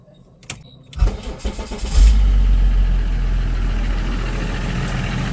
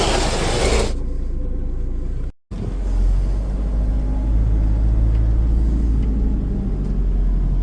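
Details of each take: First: Range Rover L322 3.0 BMW M57 diesel after fitting a second-hand replacement turbo and changing the long-neglected oil filter and oil; starter churns about a second, engine catches and flares, then settles to steady even low idle; normal start. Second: Range Rover L322 with 3.0 BMW M57 diesel and a failed turbo, idling: steady low rumble with an uneven mechanical clatter riding over it, abnormal engine noise around the turbo; exact fault unconfirmed.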